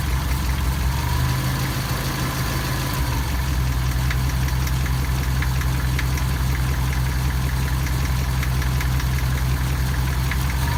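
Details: Engine at steady idle with a faint repetitive knock, about two to three per second, over the low rumble; the cause is not identified.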